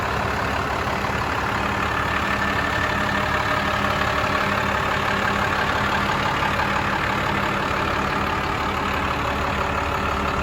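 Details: 1996 Dodge Ram 3500 dually 4x4 with a 5.9 Cummins 12-valve diesel, five-speed manual and 78k miles, just started: steady deep diesel idle with an even rhythm and no knocks or misses; healthy.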